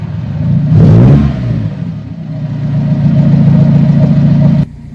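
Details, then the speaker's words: Fiat 147 with a homemade exhaust cut-out valve, loud enough to saturate the microphone: a loud burst as the engine fires and revs, then a deep, fairly even open-exhaust burble that cuts off sharply. Healthy start and rev. "We are going to start the car and I am going to leave you some clips with the sound of how it sounds with it."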